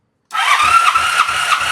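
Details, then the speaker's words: 1985 Honda Sabre V65 cranking on the starter during a compression test, fuel cut relay disconnected so the pump stays off: even, strong pulses about three a second, no drag or clunk; 170 PSI, fogging oil in cylinder. "Wow, and of course there is a little oil in there, but that's 170. I only put a little bit of fogging oil in there though, but that's 170 PSI."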